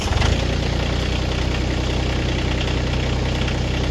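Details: Three-cylinder diesel tractor with three-point log splitter just hooked up, at about 1,400 rpm; even, steady thrum with no knocks or misses; running smoothly and healthy.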